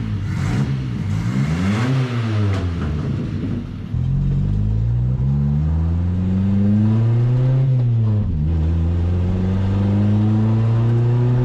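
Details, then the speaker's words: 1979 Chevy LUV after stumble fix and tune-up with ignition timing corrected: engine pulls cleanly through the gears, pitch climbing smoothly with each rev, no stumble or hesitation, much more power; normal acceleration. "that's way better no more power cause it's got way more power guys"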